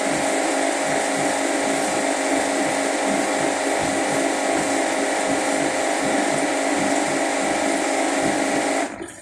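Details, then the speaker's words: Washing machine on spin cycle after draining: loud steady hum with faint rhythmic thump about four times a second; unexplained spin noise, owner suspects clothes bunching to one side causing vibration, cause unclear. "Ahí empezó a girar. Este es el ruido que presenta."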